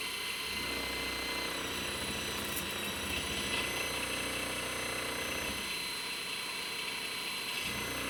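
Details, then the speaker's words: Boat's brushed electric motor, rebuilt to cut vibration after magnets came loose: steady high whine with light brush hiss, even running, no sudden stop; motor sounds healthy. "all right well that just sounds like the the brush is rubbing"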